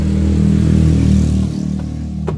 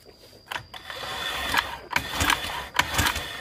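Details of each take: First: 2015 Honda Vario 125 that died suddenly, after rejoining a broken wire at the connector: engine fires and runs with a steady, even low drone, then settles to a smooth idle; owner still suspects the previously modified starter relay. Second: 2015 Honda Vario 125 that died suddenly while parked, indicators normal, kick-started after fitting aftermarket part: uneven strokes about eighty a minute without catching; no spark.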